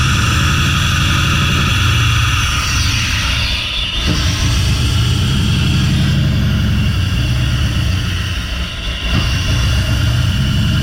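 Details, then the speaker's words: Chevy truck with transplanted engine: heavy uneven rumble with periodic sags and stumbles and backfiring; lumpy idle from incorrect timing, engine ran smooth in its previous truck. "backfired and everything so yeah we definitely got some timing issues"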